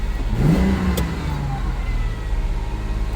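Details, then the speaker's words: 1998 Ford Explorer, sat five years, just fresh oil, belt squeaking a little: engine surges up further and hangs at a fast even hum instead of settling, with a hot smell noted; high idle from a sticking idle air control valve. "What's going on? Something smells like it's getting hot. It's revving up more."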